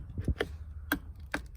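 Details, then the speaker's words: Mercedes R129 SL (320/500/600) old worn headlight switch: dry clicks and crunchy snaps as the knob must be forced round, won't hold pulled out or reach parking modes, arcs and sparks, blowing bulbs; worn switch detent, replaced with new switch. "So if you pull your switch out and it doesn't hold itself, it's probably broken. If you turn it and you have to like force it,"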